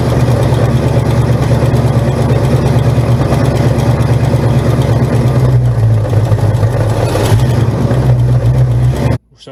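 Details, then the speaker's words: 1971 Buick Gran Sport with a 1973 Buick 455 bored 30 over to 462 ci, running: a heavy V8 rumble with a deep, uneven knock about three per second; suspected loose flex plate/torque converter bolts, to be checked on a jack. "to jack it up and then ideally once we jack it up the torque converter bolts or the flex plate bolts are loose so figure it out go from there"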